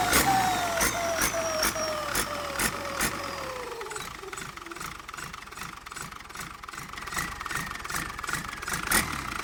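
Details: HX35 turbo on a diesel at low boost: clear high whistle that falls in pitch as revs drop, over a clattering diesel with regular pulses; normal turbo whistle, spooling normally.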